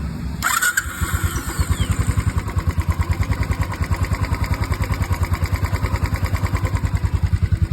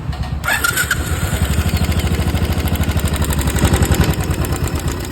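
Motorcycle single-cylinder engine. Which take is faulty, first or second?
second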